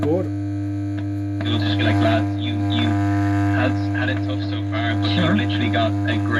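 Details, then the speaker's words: Pilot valve radio, powered up: loud, constant low mains hum over faint chatter and tuning noise; reservoir capacitor suspected open circuit, not confirmed. "oh yeah baby now it sounds like the reservoir cap is open circuit"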